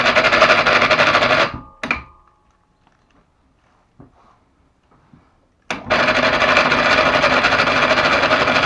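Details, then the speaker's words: RA 250/500 mini hoist (telpher) motor, new but previously soaked and dried, reassembled after bearing checks: fast even rattling whirr about four beats a second persists; abnormal motor noise, suspected brake shoes rubbing or failing motor. "собираем назад звук не пропадает"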